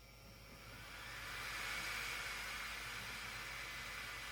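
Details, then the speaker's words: Bambu Lab H2D 3D printer with hotend set to 150 degrees, after replacing the failing hotend cooling fan: steady even airy whoosh with a faint high tone, no rattle or buzz; healthy new fan. "After replacing the hot end cooling fan, this is what a new cooling fan sounds like."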